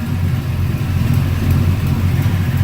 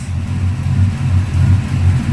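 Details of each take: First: LS-swapped Dodge truck with shorty headers, after sitting in the garage, has a deep, uneven shaking V8 idle with a faint sharp tick about three times a second from a leaking exhaust donut joint, fixed repeatedly. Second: LS-swapped 2004 Dodge Ram on second start-up, idling after first start was hesitant with a surge; low steady even rumble with no surge or stumble, idling smoothly, owner thinks it is learning fuel trims; exhaust tick also present.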